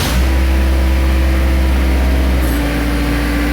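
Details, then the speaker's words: Jacobsen 511 rough-mower diesel, which used to shut off when the PTO was engaged, after fitting a time delay relay: deep, even idle that keeps running with the blades engaged and no stumbling or dying; the fix works. "we put our gauge blade up that's a good sign it used to die before here we go oh yeah there it is it's working nice nice"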